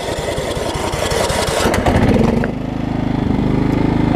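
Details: Craftsman rider with Kohler Command engine, over 20 years old, after refitting a wrongly installed deck belt that had locked the engine: catches and settles into a steady, even chug at idle with no labouring or knocking.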